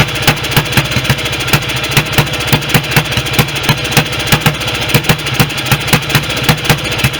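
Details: Restored BSA B31 single with magneto ignition, on thin 30-grade oil and no intake gauze: a slow, uneven idle with sharp exhaust pops about 78 a minute. The owner suspects the oversized carb jet is making it run rich and plans a smaller one; not confirmed.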